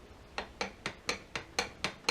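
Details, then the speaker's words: Suzuki DL1000/SV1000 OEM clutch basket, a 2014 basket with 40,000 miles, rocked by hand; about eight sharp metallic clunks, roughly four a second, worn basket bearing with heavy play compared with a new one. "that's already got quite a bit of slop at 15 000 miles"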